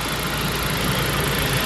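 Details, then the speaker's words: 2003 Saab 9-5 Linear turbo after PCV repair for oil consumption: even smooth idle, steady low hum, no ticking, hissing or misfires; runs very nicely (owner notes plugs still need replacing). "Well, the only thing left now is take this car out on a test drive and see how it runs. It actually runs very nicely."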